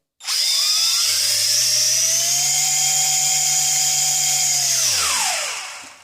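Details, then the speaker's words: JJRC Yizhan Tarantula X6 H16 drone, motors spun up on the stick: small motors whir and one motor squeals with a piercing high chirp over the steady hum, marking it as the faulty motor that also lacks lift when the drone is tilted. "otra forma es el ruido Como vemos chirría un motor"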